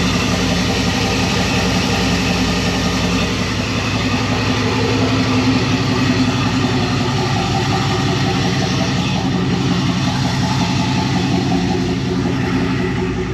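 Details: 1999 Silverado 1500 with a turbo 4.8L (235k miles, 862 heads, Stage 1 cam, 4L80e), first start on a base speed density tune: deep, fairly steady V8 burble, slightly lumpy but smooth enough. Normal idle.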